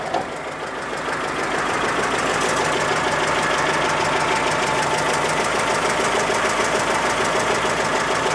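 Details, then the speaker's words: Citroën GSA on dyno, new alternator with belt tension set loose on purpose: loud fast clatter about three beats a second over hard-revving engine past 3,200 rpm, slack alternator belt slapping. "why aren't you making the noise now since we turn our back oh that's a more like that way a light don't get a light we should investigate oh that's not a nice noise again will that slacking off of spanner no I need a 14 mil spanner as well it turns out what you doing remember I set the tension fairly loose on purpose"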